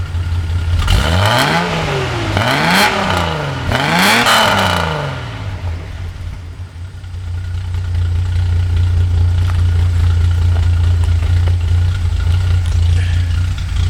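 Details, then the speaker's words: 1982 Datsun 280ZX, otherwise stock, with Motorsport Auto ceramic-coated header, 2.5in straight exhaust, K&N intake, rebuilt EFI, about 37°F outside; three quick throttle blips, light to heavier, climb and fall cleanly, settling to steady even idle; normal free revving. "But here's what the exhaust sounds like. I'll go ahead and whack the throttle lightly and then heavier."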